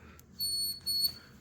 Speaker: now if you hear that squeak that squeak is a great sound to hear